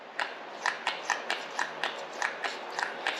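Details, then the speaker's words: Poulan Pro PPB3416 chainsaw, new carburetor installed for fuel issues, engine not running: light, crisp ticks a few times a second as the fuel pump diaphragm works, drawing fuel back through the inlet filter; normal operation. "all right y'all check it out look it's you can hear that the diaphragm working"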